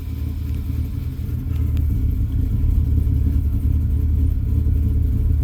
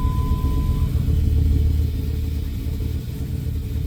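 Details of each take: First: 2000 Dodge Ram with an overcharging problem, running after the alternator was removed, tested and refitted. Steady, even low rumble at idle with no knocks, ticks or whine. It runs smoothly and the issue appears fixed. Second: 2000 Dodge Ram at first start after alternator removal for overcharging, battery reconnected so idle memory lost, charging a little low: deep, lumpy, wandering idle, sounds loaded up; rough idle from lost idle memory, improving.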